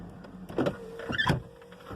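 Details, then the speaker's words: Car after a minor collision: power window motor hums unevenly with a heavy clunk and stall partway through travel, owner says it sounds like it locks or hits; glass seems to bind in track, cause not confirmed. "from there on out the car does not have any other mishap so it sounds like it locks you don't see"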